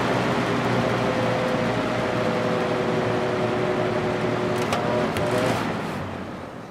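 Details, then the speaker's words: Vintage 1983–84 Lasko box fan with a plastic Marco motor, previously repaired with adhesive, on medium: a constant buzzing low motor hum over the airflow, holding even until switch-off; the hum is most pronounced on medium and low. "I think the hum is most pronounced on medium speed and low"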